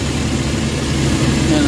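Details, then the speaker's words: Suzuki K6A engine at idle with the air conditioning on, after the IACV idle-up fix and cleaning: steady, even idle with no vibration or hunting, RPM now correct. "So ayan nakita niyo wala ng vibrate medyo tining na yung andar Okay na siya"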